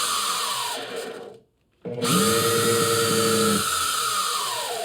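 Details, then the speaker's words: Bosch router, about 20 years old, in a router table lift, front bearing squealing for years: motor spools up with a steady high squeal and rubbing edge over its whine, burning smell; suspected worn brushes or bad bearing, not confirmed. "Yeah, she's burning. Brushes are probably worn out. Sounds like it's rubbing."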